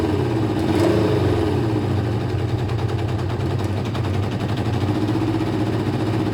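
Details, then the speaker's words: Kawasaki ZL600 with three air holes drilled in each carb intake and air filter removed: uneven, lumpy beat of two to three pulses a second, won't settle to a steady idle; needed choke to start, owner suspects too much air. "So it now liked to choke again to start, so 3 holes seems to be too much air, but I also took the actual air filter out, so I probably have gone too far with 3 holes."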